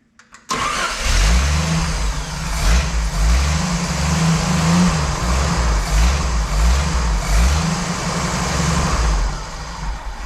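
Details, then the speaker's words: Jeep CJ/YJ Wrangler 4.2 inline-six after carb swap, vacuum advance line unplugged, idle mixture screws set 1.5 turns out: starts, then surges and sags unevenly; won't hold a steady idle before base timing check. "timing she doesn't want to idle"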